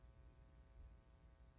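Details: Schecter Model-T Exotic 5 bass, jazz single-coil pickup soloed with tone up and hands off the strings: steady low mains hum with a faint buzz. Rolling the tone off silences it; the P pickup alone is nearly silent; cables may also contribute.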